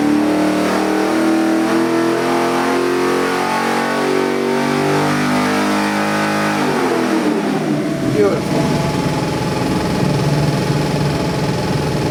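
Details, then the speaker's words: New LS3 416ci stroker crate V8 (600+ hp, 560+ lb-ft) for a 1969 Chevelle, full-throttle dyno pull: pitch rises evenly, then settles back without misses or knocks. Oil pressure and AFRs good, a strong healthy engine. "Happens to be the LS3 416, made over 600 horse, over 560 foot-pounds of torque. Motor runs fantastic."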